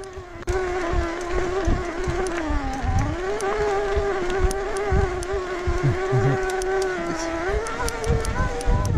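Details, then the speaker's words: 2022 Specialized Turbo Levo S-Works e-bike mid-drive motor while riding trail: loud rough whine rising and falling with pedaling effort, over hub buzz and GoPro buckle clicks; owner suspects motor needs replacing. "the b sound is just my industry nine hubs but listen to the motor when i pedal you see my knees start to move horrible"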